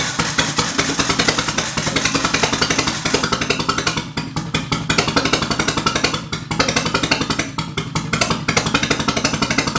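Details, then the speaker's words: Nissan 240SX KA24E with MicroSquirt ECU, first start. Choppy, uneven exhaust pulses with stumbles and dropouts; readings 88, 88, 93, 93 suggest the front two cylinders aren't firing, owner suspects an injector, possibly ignition timing off. "so we've got 88 88 93 93 so I think these front two aren't firing could be an injector"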